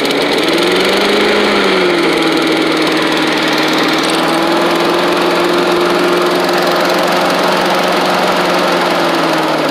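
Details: Old Australian-built Rover Turbothrust mower started on choke, with a working 12-volt generator: loud, steady roar with constant whirring pitch, described as very loud; engine runs fine.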